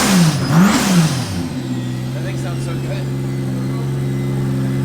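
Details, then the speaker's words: 2JZ engine in a Mustang after head rebuild with valve job and new valve stem seals: quick throttle blip rises and falls, then smooth even idle with no ticks or knocks; sounds smoother than before. "sounds better than it did really actually does it sounds a little smoother well it's like a brand-new head"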